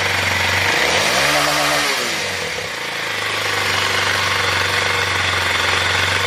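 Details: 2021 Kawasaki KLX 230 after battery replacement, charging 14.2 V running so stator good: small single revs up and drops back, then settles into even, steady idle with crisp regular beat; normal running; battery drain cause unknown.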